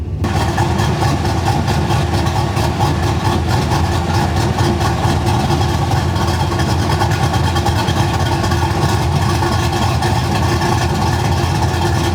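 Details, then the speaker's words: V8 with mild cam (216/220, .550 lift, 114 LSA), idle tuned via fuel trims and idle airflow, base timing about 18 degrees: loud, heavy lopey, uneven idle with deep rumble, demonstrating idle mixture set too rich. "so let's talk about if your idle is too rich I can go ahead and do a sign a sound clip of um the idle R being too rich I'll do that right now"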